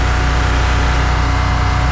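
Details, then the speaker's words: Abandoned diesel generator after engine repair (20 thou clearance, scraping friction gone), running at no load at about 60–61 Hz; owner says it should be about 1900 rpm and needs adjusting up. Deep, steady hum with no hunting, much crisper than before. "Runs nice now. It was, I should have videoed the startup, but I was just anxious to get it going. It was much crisper."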